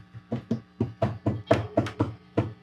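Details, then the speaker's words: Fender Twin Reverb Reissue '68 Custom, tapping preamp tubes (12AT7) to test for microphonics: each tap gives a short thump with a faint ring after, about four taps a second; this tube is mildly microphonic. "Now, this is how I'm testing for microphonics is just give a little tap."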